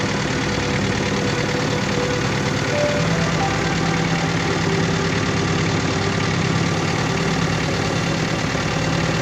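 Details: Diesel engine with low power, black smoke and vibration, idling with an uneven, lumpy beat and a shaking undertone instead of a clean tick-over; misfire at idle from a fuel system fault.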